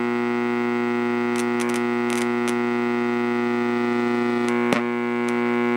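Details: Radio audio amplifier at full volume with no input, powered by a wall wart rather than the quiet transformer/LM-regulator supply: steady low buzzy hum with overtones, like power-supply hum, remaining even with a capacitor across it; wall-wart supply suspected.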